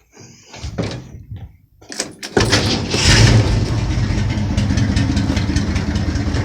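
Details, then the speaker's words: 1971 Ford F100 302 small-block V8 with carburetor: after a door clunk it starts and idles slightly rough with an uneven, loping beat; idle mixture screws need adjusting, turning right leans the mixture. "you can tell my engines running just a tad rough so go ahead and get your flat-head screwdriver"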